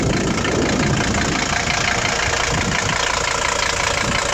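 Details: 1981 Mercedes-Benz 300D W123 with a 3.0L five-cylinder non-turbo diesel, said to fire right up and run well. Even diesel clatter at a steady idle, about three pulses a second, with no misses or odd knocks: normal idle.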